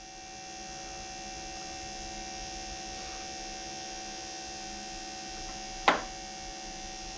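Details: Air-cooled Porsche 911 Bosch CIS K-Jetronic fuel pump running for residual pressure test, then ignition off shuts the pump: quiet steady electric hum with no surging, then a single click; pump running normally.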